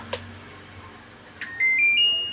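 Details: Godrej inverter AC PCB after MCU reprogramming for E6 error, test run at power-on: two soft relay clicks (primary relay on, red light), then a short run of bright beeps stepping upward in pitch; board powers up cleanly.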